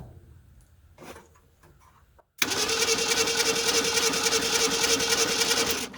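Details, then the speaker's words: 1978 Ford Fairmont station wagon that sat about 35 years: the starter spins fast and perfectly even, about three and a half beats a second, with no compression strokes. There is no compression at all, though the valves are moving. "oh yeah she turns over pretty good uh I tell you what let me get over here and let's just see if we got any kind of compressions at all no sir we have no compression at all uh so that's not good"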